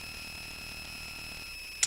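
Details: A thin, constant high whistle over faint hiss; the audio output is noisy, cause not identified. Not confirmed.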